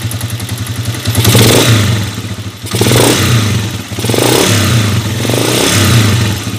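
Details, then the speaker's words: A rough, clattery single-cylinder revving in blips from a Honda TMX125 Alpha converted to 150cc, removed from its sidecar before teardown for a 175cc conversion; at idle a noisy ticking inside the engine. "medyo magaspang na rin Ayan pa yung problema niyang isa pag naka Menor may maingay na lumalagitik sa loob"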